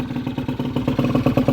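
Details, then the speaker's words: Honda Vision scooter after barrel and piston replacement, idling during ring bed-in: even steady putter, the old tip-tip ticking noise now gone; engine sounds healthy. "That sounds so nice. And I'm not getting that ticking noise, that sort of tip, tip, tip noise that I used to get."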